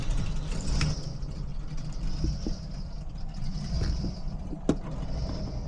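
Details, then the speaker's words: 1991 Clarion motorhome after repairs following a breakdown, warm at normal temperature: low, smooth rumble at even idle with a few faint knocks from around the vehicle, good oil pressure, battery charging; normal idle. "See, we got good oil pressure and everything. Got a full tank of gas. Temperature is normal. Battery's charging. Engine's idling good."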